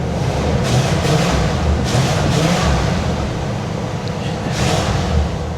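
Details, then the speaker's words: 1979 Cadillac Coupe DeVille carbureted V8 after a carburetor replacement: a deep, even burble holding steady without stumbling or dying, a smooth settled idle. Before the swap it would not idle and kept dying. "She's running great as expected. I I I wouldn't expect anything less from this car."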